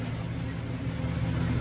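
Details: 2000 GMC Sierra 2500HD, new copper-nickel rear brake lines and fresh differential fluid, on stands in drive, two-wheel drive, rear wheels spinning: smooth even low drone, no whine, clunk or grinding; drivetrain normal.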